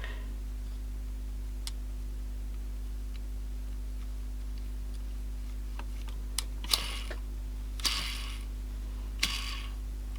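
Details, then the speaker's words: Samsung RCD1300 boombox CD player: short whirring bursts from the small sled motor about a second apart over mains hum; it runs fairly freely, still slightly imperfect when changing direction. "It runs pretty good now. I think there's still, it's just when I'm changing direction."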